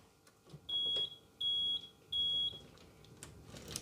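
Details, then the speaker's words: Rolls-Royce Silver Spirit III alarm, set to the fully armed position: three clean high-pitched beeps about two-thirds of a second apart when locking, confirming the alarm is fully armed; unlocking gives two beeps. "Three beeps locked, indicating that the alarm is on. Two beeps unlocked."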